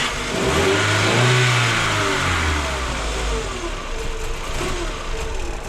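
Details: 1999 VW Golf MK4 after replacing a bad mass air flow sensor that caused systemic misfires (P0300, P0302, P0304): engine catches quickly, revs smoothly and settles evenly with no stumble or misfire; a normal start and rev.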